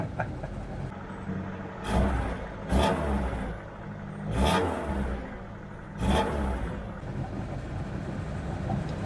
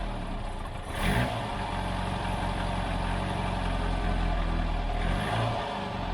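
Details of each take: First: 1978 car, engine starting straight into a smooth, even idle with four clean throttle blips, no knocks or misses; running healthily, though oil pressure gauge reads zero (lamp cutting out, suspected gauge fault). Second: I'm still pretty sure, or my theory at least, is that it's either the valve train, something in the valve train, the rockers, the push rods, maybe even just the valve. That's the problem. Or maybe it's the timing chain.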